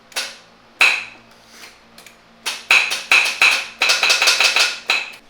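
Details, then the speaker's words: BMW E36 drift car with 1JZ swap, during build with power to the starter: sharp metallic clacks in uneven bursts and no cranking; starter pinion engaging and disengaging without turning the engine. "oh it's the starter going in pink and going back engaging disengaging"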